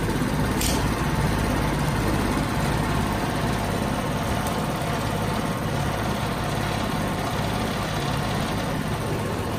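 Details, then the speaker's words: Generic Chinese carbureted scooter, just after carburetor cleaning: low idle with a lumpy, uneven beat that never settles and makes the bike shake; running rough with idle on the low side. "Got a quality Chinese machine here. It's kind of shaking all around. See, so once you do the carb cleaner, oh, this thing's rough."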